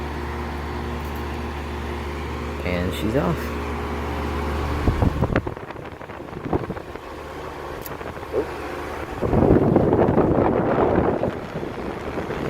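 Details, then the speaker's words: 2002 Lennox Elite series 3 or 3.5 ton central air conditioner with a Copeland scroll compressor, outdoor unit: steady low hum, then the compressor kicks in with a brief clunk and settles into an even whoosh; normal startup. "hear the copeland scroll coming on and yeah so that's the unit my next elite series three ton from 2002"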